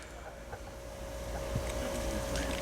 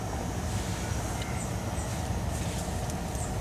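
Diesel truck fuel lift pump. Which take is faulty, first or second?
second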